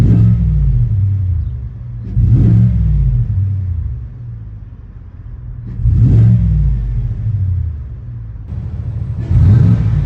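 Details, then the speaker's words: 2018 Cadillac Escalade 6.2 V8 after DOD delete with BTR cam kit and LS7 lifters, shorty headers and Magnaflow muffler with the flapper valve removed: three smooth throttle blips, deep rumble, no tick or miss. "And it's just a little bit of noise, which is what I was looking for. Something just slightly louder than stock, just so you know that there's a 6.2 in this thing."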